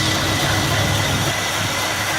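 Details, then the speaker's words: Carbureted 7.4L 454 big block V8 in a 1974 Nova, over 37,000 reliable miles, last run before removal for an LS3 swap; deep, steady idle with even lope, no ticking, knocking or misfire — normal idle, nothing wrong. "very well absolutely nothing is wrong with you"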